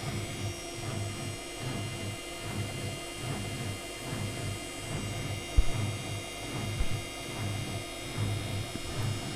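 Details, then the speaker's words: Electrolux washer-dryer after replacing a broken, loose drum pulley that caused rattling during washing. Low steady drum hum with soft swishing and only the odd light bump: healthy, quiet spin. "поставил её на отжим стиральная машина крутит никаких лишних звуков не издаёт"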